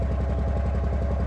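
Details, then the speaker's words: 2005 Ford Freestyle 3.0 Duratec heard at the tailpipe: rough idle with a regular puff-puff, one cylinder dropping. Misfire traced to a spark plug; previously fitted SKP iridium plugs replaced with Motorcraft SP433X. "Fuel pump comes on. Oh yeah, definitely have a miss here. You can kind of hear it out of the tailpipe."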